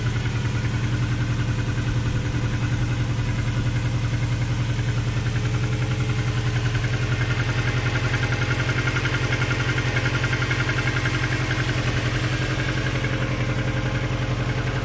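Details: Steady idle with a hollow, regular knock about three or four times a second riding over the engine; suspected piston slap, not confirmed.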